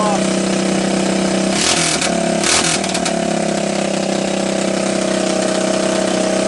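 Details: Honda ATC200X three-wheeler fitted with an ATC200S single-cylinder engine, after it weather-seized with rust in the bore and seized from oil loss; a cracked oil filter cap was replaced and oil refilled. Steady, even beat with brief handling noise partway through; healthy running, no knocks or ticks.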